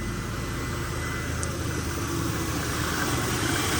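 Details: Jaguar XF 4.2L just restarted after thermostat housing replacement (battery reconnected); smooth, even idle with steady low hum, no ticking, knocking or hunting – healthy.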